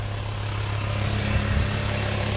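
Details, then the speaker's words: VW T5 Transporter diesel after setting injector heat gap/preload, replacing seals and a rocker adjusting screw: instant start, steady even idle, noisy but not misfiring, no smoke, earlier rocker ticking gone; normal diesel idle. "Но самое главное ребята дыма нету и двигатель работает ровно шумный правда работает но сам по себе движок работает ровно не троит"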